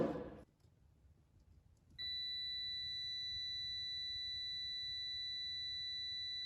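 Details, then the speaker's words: 2011 Chevy Malibu with P0013 exhaust B camshaft position actuator circuit code: multimeter probing the replacement exhaust cam actuator solenoid pins before install gives a clean steady continuity tone, reading 11.1 ohms like the front one; good solenoid coil. "Let's take an ohm reading in this before we put it in. Hopefully you guys can see the two pins in there."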